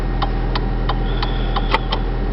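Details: 2002 Vauxhall Astra 1.6 petrol 8-valve with the engine running and hazards switched on. Steady ticks about three times a second over a low cabin hum; the hazard flasher relay is clicking normally.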